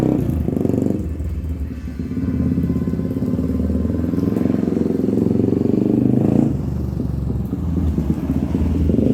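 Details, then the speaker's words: 1997 Honda TRX300EX single-cylinder on test ride after cam chain replacement, not run in a while and still cold: steady thumping, revs rising and falling with throttle, a bit lumpy; otherwise running healthy, clutch working great. "I okay guys hey it's actually running really good um it hasn't ran in a while so it's a little grumpy and it's also still cold"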